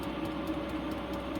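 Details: Van heater running about ten minutes blowing hot air with no error code (earlier error 08): steady low fan whirr, soft even combustion roar, small regular pump ticks; running normally.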